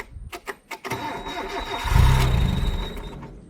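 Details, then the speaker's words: Carbureted truck, fan belt removed (alternator out of adjustment, belt glazed). A few cranks, then it fires and revs with a thin, steady high squeak still present: clutch thrust bearing, checked by pressing the clutch. "Why do we want to squeak in there? Thrust bearing. Put your foot on the clutch."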